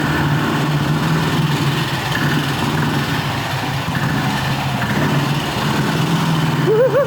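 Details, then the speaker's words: 1960s BSA 250 single-cylinder motorcycle, first startup after a late-1990s restoration, in a parking garage: single thumping steadily at idle, then a wavering high squeak near the end; owner thinks something is getting dry, source unconfirmed. "Hear that squeak? I think it's starting getting dry."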